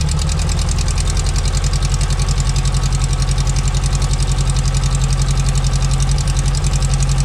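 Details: 1972 VW Beetle Domus pickup, off road since 1989, older blue Bosch coil with added resistor: deep even chuffing idle at a steady beat, no stumbles or dropouts; keeps running smoothly.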